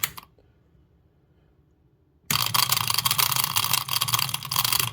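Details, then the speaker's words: Washing machine drain pump, removed from the machine and powered on the bench, intermittently fails to start: harsh rattling buzz with irregular jumping knocks instead of spinning up, so it wouldn't empty the drum; sometimes starts; unreliable, replaced. "it would start up sometimes it wouldn't start up it would just make that noise and then it would fail to start and then of course it wouldn't empty the water"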